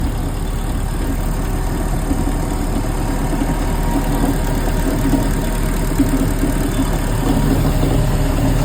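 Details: 350 MAG MPI engine: a steady mid-pitched drone with a rough, gritty grinding undertone over the idle, source not pinned down.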